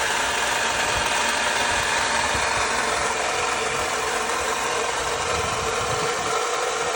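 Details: Loud rough hiss and uneven low thumping from a 2009 Lexus IS250 engine at idle, still present after a water pump change; source not identified.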